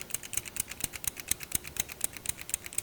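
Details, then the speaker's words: 350 transmission governor assembly during rebuild, pushed in and out by hand: crisp, even light clicks about four a second as the valve slides up and down freely, not sticking. "You want to make sure you push this in and out. If I remember right, I did this at the beginning. You want to make sure you see that valve go up and down that's in there."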